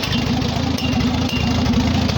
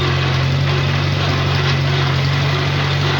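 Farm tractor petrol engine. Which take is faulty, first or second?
second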